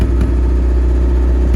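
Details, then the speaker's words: 1977 Land Rover Series III 88" with 2 1/4 five-main-bearing petrol engine, warming up, new coil fitted: a low drone with brief stumbles, a misfire under acceleration from fuel starvation through a clogged carburetor that is missing a spacer gasket. "Okay, I'm going to accelerate. Getting a misfire under acceleration with the new coil."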